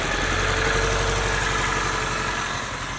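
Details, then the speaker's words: 1995 Honda Civic, D16Z6 1.6 L inline-4, misfiring at idle with an uneven, loping beat about four times a second; raw fuel came out of the exhaust, pointing to a leaking fuel injector. "You can also tell right there, we have a leaky injector. That is just straight fuel that came out of the exhaust."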